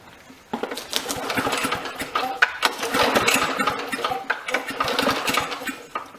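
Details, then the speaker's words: Briggs & Stratton mower (Victa 375), long stored in a shed, with fuel and spark confirmed: repeated pull-cord strokes with only brief puffs and no sustained firing, and oil seen dripping. Cranks but will not start. "It's got fuel and it's got spark, so it should be alright. We can run. I think it's got plenty. Had plenty of spark, got plenty of fuel. From what I think I remember, it would only run yeah, don't know what's happening here."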